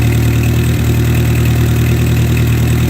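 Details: 1958 Oliver 550 gasoline tractor after the vacuum leak fix, alternator conversion and ignition repair: it settles into a steady, even low idle with no hunting or surging, without any carburetor adjustment. Normal idle.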